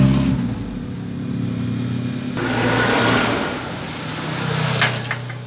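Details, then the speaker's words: Honda TMX155 single-cylinder engine, small revs up from idle: light tappy clatter over the exhaust note; push rod tips worn to a point and noisy rocker arm tick no matter how adjusted, to be replaced. "Yan, pag ganyan na po yung push rod natin, malagitik na po yan. Kahit anong adjust yung gawin nyo, lalagitik po yan, maingay pa ri"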